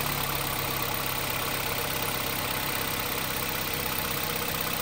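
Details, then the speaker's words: 2006 Toyota Corolla with rough idle and vibration on acceleration, after replacing the number one ignition coil: even, steady idle with no misses, stumbles or shake; ignition coil confirmed as the fault, now running smoothly. "Guys kung mapapansin niyo is tumining na so confirm na natin na ignition coil lang yung sira"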